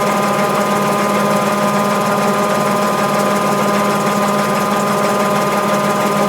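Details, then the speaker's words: Mabe 18 kg washer, spin cycle with 110 V applied to thermo-actuator and drain pump throughout: steady motor hum and constant pump whir, no grinding, banging or scraping; normal spin cycle. "cabe señalar que durante todo el ciclo de centrifugado la señal de 110 se encuentra presente o está siendo aplicada al termo todo y la bomba de agua de tal forma que estos dos componentes siguen activos durante todo el ciclo"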